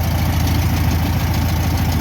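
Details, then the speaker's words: 1962 VW Bus air-cooled single-port flat-four, possibly a 1500, after power loss on a trip probably from a loose spark plug wire: steady even low putter idle, no misses, knocks or stumbles; healthy. "So I'm gonna start it up and see what it sounds like. Running pretty good. Good little motor, little single port."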